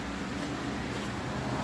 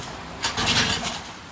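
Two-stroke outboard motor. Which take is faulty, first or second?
second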